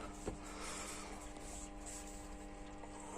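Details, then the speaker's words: Washing machine filling normally on a 20-degree cycle, powered by a 500 W converter, after the water inlet hose was shortened because it struggled to take water; steady low hum with faint water hiss, no knocks or surges. "Voilà, là elle commence à faire son boulot. Elle charge bien l'eau."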